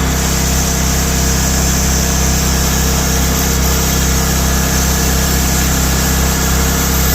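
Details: Old Powermate PM900 generator (Kawasaki/Coleman tags), left outside ten years, revived in cold weather, no air cleaner fitted: small single-cylinder engine holds a steady, even drone, no misses, hunting or knocking; normal running.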